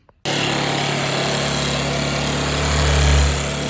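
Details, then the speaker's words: Old Bajaj Pulsar single-cylinder, jump-started from a scooter battery with petrol fed directly into the carburetor instead of from the tank: fires straight away and holds a steady, even idle with a slight rev rise, supporting the owner's bad-petrol theory. "तोय देखो start हो गई और चल भी रही है तो मेरे हिसाब से सिर्फ पेट्रोल और साफ कर देने से सही चल जाएगी"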